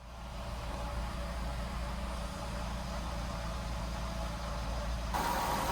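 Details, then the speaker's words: Jeep Wrangler 3.8L idling, before repair: faint constant whine with a gritty undertone from the front of the engine. Power steering pump, tensioner, idler pulley and alternator were already replaced, and the owner suspects a worn water pump bearing. "mpressor, but I'm pretty sure it's actually the water pump. I was hoping it wouldn't be, but I think it is."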